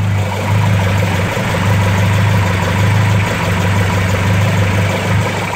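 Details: Ford 2.0 SOHC Pinto engine in a Mk3 Ford Capri, carburettors, RL-31 camshaft, first start after six months unused and an oil prime: fires straight up into a steady, deep, even idle without stumbling or misfire.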